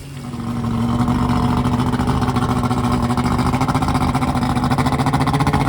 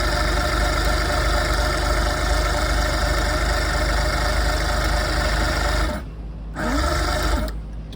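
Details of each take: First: Carbureted outboard newly installed on a boat in place of a fuel-injected engine, test-run on a hose to check for overheating: comes up to steady idle with even low burble and pulsing exhaust, smooth and regular; runs normally. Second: Boat engine converted from fuel injection to carburetor with swapped wiring harness, no fuel in the system, carburetor cleaner sprayed: starter churns steadily for six seconds but never fires; cranks but won't start, cause not yet found.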